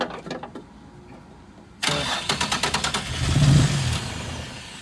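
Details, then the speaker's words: Nissan 240SX with VQ35 engine, sat about 6 years: quiet cranking that catches and runs raggedly for a moment only on sprayed brake cleaner; won't run on its own fuel, fuel delivery or injectors not firing suspected. "Well, guys, we actually got the car to start, but not on its own fuel system. So it looks like there's a problem maybe with the fuel delivery, the injectors, maybe they're not firing"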